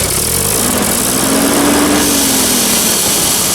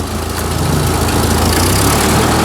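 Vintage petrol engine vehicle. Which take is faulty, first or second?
first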